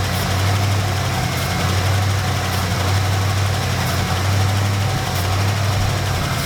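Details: 1972 Dodge D100 truck, 318 V8, first start after sitting 13 years in a junkyard: deep, steady burble with an even beat and no knocks or misses; healthy idle.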